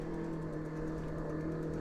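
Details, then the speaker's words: SixThreeZero EVRYjourney 500W rear hub motor cruiser e-bike climbing a steep grade on throttle alone: a low, steady growling, grinding hum as the speed drops from 8.7 to about 2.3 mph under heavy load. It strains and is not a hill charger. "oh you hear that motor kind of grinding it's it's kind of a low growl got down to about 2.3 and I had to kind of save it by swerving a little bit"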